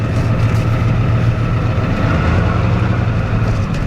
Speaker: seems to run pretty good though sounds like a healthy trucking